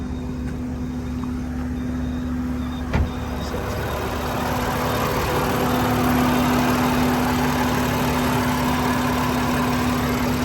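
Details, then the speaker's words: 2015 BMW M4 F83 convertible, S55 engine, about 64,000–65,000 miles, idling in Drive under load: steady low howling/whistling from the engine bay caused by a bad crankcase vent valve in the valve cover; fixed by replacing the valve cover. "so this one this one right here is got about got 64,000 Mi on it almost 65 and now you can hear that howling noise coming from the engine area"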